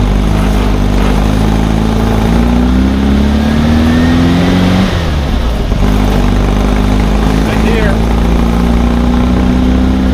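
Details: 1600 cc Baja Bug air-cooled engine on its first test drive after two years of work: even chuffing beat, steady idle, picks up cleanly with throttle; runs well though underpowered.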